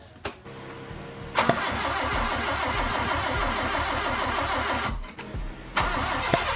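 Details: Honda Civic EK hatch after an engine rebuild, fourth start attempt with the ground reconnected and the distributor advanced slightly: steady cranking at about three compression pulses a second for several seconds, never catches. Crank, no start.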